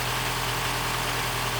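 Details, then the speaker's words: 2015 Mini Cooper S Copart rebuild, first startup: a petrol engine idles with a hunting note, dipping from about 1,000 to 750–800 rpm. The cause was unmetered air, with something left unplugged and the induction hose disconnected. "It's a bit, the idle isn't, sounds like there's air getting in. Revs are going from 1,000 to about 750 to 8, which normally means there's air getting in, but I need to keep it running."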